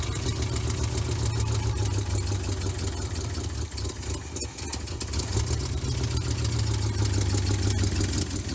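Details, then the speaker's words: Vintage C30 RV V8 after replacing bad exhaust manifold gaskets. Deep, uneven idle with a lumpy, unsteady beat; it still sounds rough. Cause not yet found. "are you telling me we didn't have to do exhaust manifold gaskets no we did those were terrible it still sounds like crap though"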